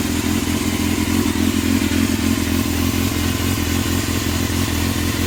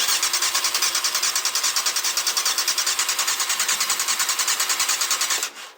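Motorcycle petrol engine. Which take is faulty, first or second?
second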